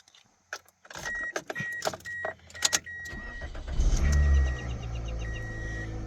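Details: 2004 Toyota Corolla with an intermittent no-start, after reseating/swapping a starter relay (suspected oxidized connections or high relay resistance): a few chimes and clicks, short crank, engine catches and settles into an even idle; starting normally now.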